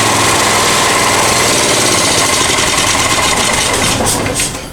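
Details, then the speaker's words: Honda EX1000 generator after carb cleaning: loud rattly running with uneven firing reaches idle briefly, then sags and dies as the idle won't hold. "I killed it. It's really trying though. It really, really is. It did it for a second. It got up to that idle and it actually started working."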